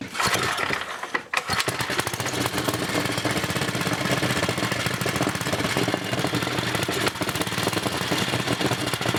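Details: First test run of a brand-new NOS Briggs & Stratton 5HP block on a 1980 Montgomery Wards 2200 W generator: the single cylinder catches after a brief pause and settles into a fast, steady, even rattle. Normal idle.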